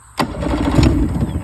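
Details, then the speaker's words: Yamaha 70 no-start, about a tablespoon of gas poured into the middle spark-plug hole, full choke: cranking suddenly catches with pops and about a second of ragged running, then won't keep going; brief firing after fuel priming. "And that's what you want to hear, ladies and gentlemen. Once you hear that, you've got something cooking."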